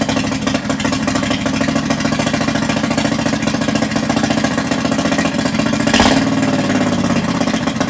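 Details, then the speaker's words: Predator 670 V-twin in Yerf Dog buggy after stage two build (governor deleted, PWK34 flat-slide carb, custom intake, 50 lb valve springs, billet rods), first start held just off idle: lumpy beat with stronger pops, sounds a bit rich, unconfirmed. "Sounds like it's got a little bit more uh oomph to those pops. Also sounds a little bit rich."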